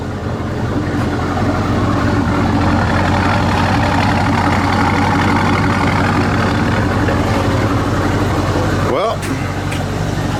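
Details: 2000 C5 Corvette V8 restarted after full HVAC replacement and dash removal; deep, even rumble at steady idle with no misses, knocks or ticks; runs smooth and healthy.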